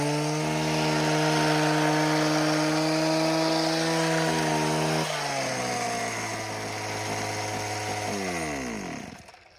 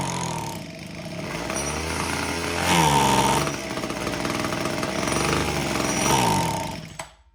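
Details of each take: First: Homelite HT17 hedge trimmer after replacing missing fuel lines and adjusting the idle: steady high buzz at even pitch, then a clean wind-down; runs good, only the blades need sharpening. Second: Homelite HT17 gas hedge trimmer (small two-stroke) found with fuel lines missing, test-run to check clutch engagement; teeth moved but revs surge and sag before dying out, and the carburetor needs adjustment.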